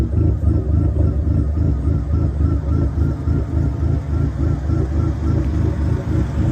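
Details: Dodge SRT4 with big cams, big turbo and much larger injectors, first idle after a new starter, on a rough preliminary injector tune: loud, choppy, lumpy idle pulsing unevenly about three beats a second; rough idle from unfinished tune.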